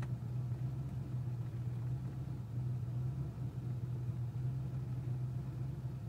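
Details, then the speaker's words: Cold-start rough idle misfire on a Mustang 5.0 V8 (speed density, 1989 engine) at about 1000 rpm, car visibly shaking; new plugs, wires, cap, rotor, coil, fuel filter, IAC cleaned, TPS set; worse in mornings, cause unknown. "I don't know if you can hear the misfiring like the car super shaky as you can see the [Music] camera so it's still cold"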